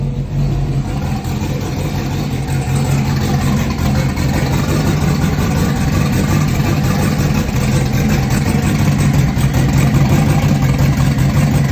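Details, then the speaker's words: Junkyard LS (L33) with a large turbo on methanol, after swapping ignition coil wires that had been left flipped: engine settles into a fairly steady, deep idle with only slight unevenness; normal running. "It clearly sounded way better when I swapped the wires around."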